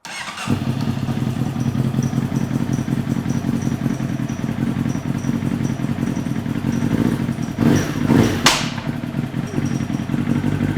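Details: Honda CBR motorcycle with a large hole in the engine case. It runs with a lumpy, uneven, limping idle, first with clanking and then with the clanking gone.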